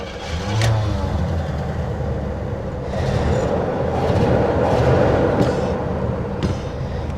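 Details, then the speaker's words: 1979 Cadillac Coupe DeVille, 7.0 L 425 cu in V8, about 68,000 miles, parked 27 years; first start on five gallons of fresh gasoline after pumping the gas. Catches after some cranking, then a low, uneven rumble with surges, not running cleanly: hard start, rough running. "It's not running great. Not surprised."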